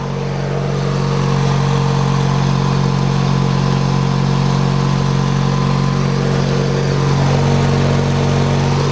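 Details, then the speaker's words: Hechinger (MTD) riding tractor after repairs, running with the hood on: smooth even putter at steady speed, no knocks, misses or rattles; owner finds it fairly quiet and the exhaust sounds cool. "see what it sounds like with a hood on it see if it's quiet hmm it's kind of quiet for a nepal swim"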